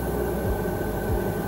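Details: Chinese diesel air heater in a truck, started at a 22 °C setting on a roughly 10 m 2.5 mm² cable wired directly to the battery. A low steady hum and constant fan whine with no stutter or misfire; normal start-up.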